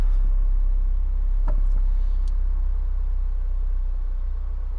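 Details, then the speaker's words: 2003 Toyota MR2 Spyder TRD 5-speed with K&N filter, idling fully warmed up in the showroom; steady even low idle, no knocks or misses; normal warm idle. "So we are back in the showroom, and before we shut the engine off, we're going to listen to it now that it's fully warmed up."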